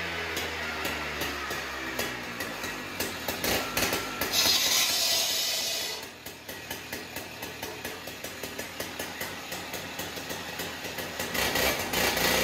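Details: Husqvarna cut-off saw after a missing spring was found and replaced to stop the blade spinning at idle. On a cold start it revs briefly, then settles to an even, pulsing two-stroke idle with no clutch drag: normal idle after repair.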